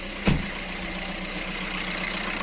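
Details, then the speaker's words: Skoda Octavia A5 1.9 TDI, noise near the accessory belt, with new timing belt, rollers and alternator tensioner: steady diesel idle with a constant whirring drone after one start-up knock, traced to a rustling A/C compressor. "а от компресор вже шорух має є не знаю чи на відео на відео чути чи ні"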